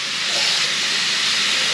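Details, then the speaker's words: Hot water tap opened to check newly fired boiler after radiator installation: steady even hiss of water rushing, no spluttering, air or hammering; water comes through warm straight away, normal flow. "Easy way to check is turn the hot water tap on. I can feel it straight away coming through warm."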